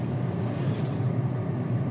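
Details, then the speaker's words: 2020 Nissan Almera automatic transmission on a road test after rebuild with new bearings and rebuild kit, previously noisy with a droning hum; steady road rumble, no drone, whine or rough grinding, even when coasting: normal transmission. "So ayan tine-testing na yung Nissan Almera. Wala na yung ingay. Wala na ugong."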